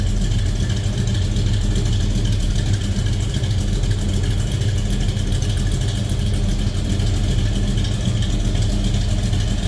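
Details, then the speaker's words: 1969 Chevrolet Nova 396 big block in neutral after a cold start, sounding like a mild cam: deep, steady lumpy rumble with an even beat and no knocks or ticks; normal idle. "sounds like a big block bad boy."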